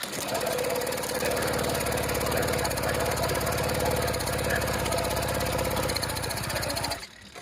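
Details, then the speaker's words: Motorized bicycle two-stroke engine, first ever start of this replacement motor, cranked with the clutch disengaged: buzzy, high, rattly note running steadily about seven seconds, then cutting out; normal running. "okay you can hear the motor turning over so I know that the clutch has been disengaged"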